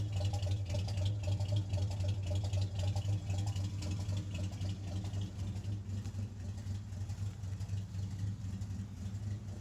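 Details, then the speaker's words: REO M-35 military truck with a blown head gasket, cold idle: a low, lumpy idle with uneven gaps where at least one cylinder, probably more, drops out. A misfire; the truck lost the ability to idle once warm. "You can already hear in just that little section there, you can hear it skipping at least one cylinder, but probably more than one."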